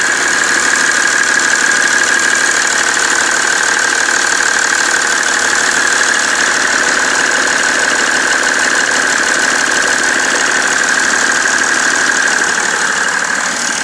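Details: BMW 330d E91 diesel at idle: steady, even knock about three per second over the clatter, with smoke, after main and EGR thermostat replacement; source still unknown.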